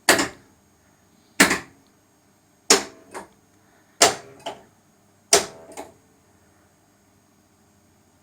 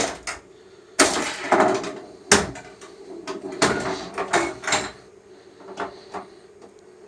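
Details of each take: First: Sega/Stern pinball power driver board coil test: sharp coil clunks about every 1.3 s, some doubled, silent gaps where coils should fire; dead driver outputs; owner suspects a coil shorted through the lamp matrix. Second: Sega/Stern pinball power driver board after repair, coil test stepping through coils that were previously out: single sharp clunks one at a time at uneven intervals in a quiet room, magnets buzzing; all coils now working.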